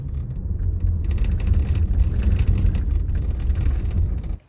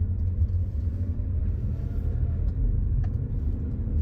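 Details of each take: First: Inside a moving car: deep road rumble with quick, irregular light rattles from the two rear seat latches, which have play because worn floor brackets let them move. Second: Car driving on same road after fixing rear seat rattle with Velcro (fluffy side) where seat latches meet brackets: steady low road rumble, rattle gone.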